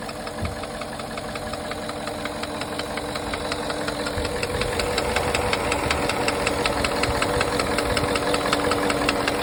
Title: Porsche Cayenne 955 M48.00 4.5 V8 2003 engine knock